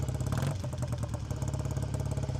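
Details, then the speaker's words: Classic British twin motorcycle, cold, choke just taken off, heard near the exhaust: twin thumps quickly and evenly at tickover, idling too fast until the idle screw is turned down. "Running a bit fast, so see if we can turn this down. There we are, that's better. Just turning the idle screw down because I could hear that it was running quite fast."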